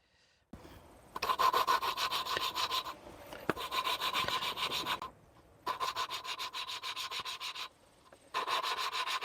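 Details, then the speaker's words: 1941 Chrysler Business Coupe flathead six during a first-time valve job: valve hand-lapped onto its seat with compound, gritty rubbing strokes about three a second in bursts; the seat looks nearly even. "Well, that's working. You can actually hear it grinding. At least I can hear it grinding."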